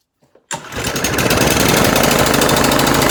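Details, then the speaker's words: Sulky Suffolk Punch mower, likely flooded: fires up abruptly, then runs with a clattery beat whose speed wavers up and down after being revved hard; engine hunting at idle. "so you can hear it's hunting a bit there after i revved its nuts off which you're not supposed to do with these because that's not how they work"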